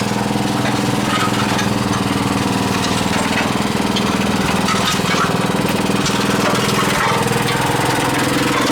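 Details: New small engine on a cement mixer, just started on choke: quick regular chugging about four beats a second, crisp firing, no knocks; owner suspects too much oil in the air filter, blowing oil on revving. Normal running.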